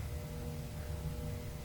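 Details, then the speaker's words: Tektronix 547 oscilloscope from a thrift shop, first switched on without a Variac: cooling fan turns with a low steady hum and faint tone, no rising spin-up; sluggish fan needing lubrication. "That fan needs to be lubricated, right? And maybe when I was in the store, I didn't really hear that because nothing had lit up in the front, and that still is true."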